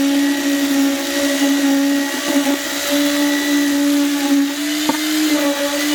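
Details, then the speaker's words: Cheap eBay concrete vibrator with flexible shaft, running: loud, constant high-pitched motor whine with steady buzz and no speed change; runs normally (earlier stopped vibrating, fixed by banging the vibrating end on the ground). "i suppose i should turn on let you hear it oh that's the other thing it's loud as as well"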